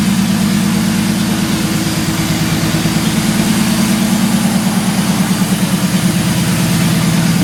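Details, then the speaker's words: 1983 Ford Fairmont Futura, turbo Vortec 4200 DOHC VVT inline-6, after ECU trigger fix (rising to falling edge): even, steady idle pulse about three beats per second, no misses, knocks or hunting; normal idle. "so our starts idles um spins tires"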